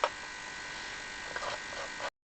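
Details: Cleaner buzzing steadily in background during 20-minute clean of reeds from a Sonola 120 bass Italian accordion being repaired for raspy bass notes; running normally.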